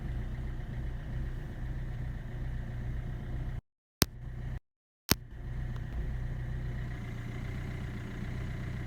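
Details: Kia Ceed 1.6 CRDi 85 kW diesel, cold start below 5°C: long cranking, blue smoke, lumpy uneven idle; three dead glow plugs were replaced without fixing it, and the burnt main glow plug relay was the cause.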